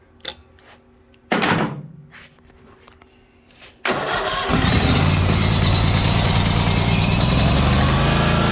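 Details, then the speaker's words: Ferris 1000Z zero-turn mower, after repairing broken seat-switch wiring terminals: after a couple of cranks it catches and settles into a steady, even run with no misses or knocks; runs fine. "so yeah this thing starts up runs perfectly fine"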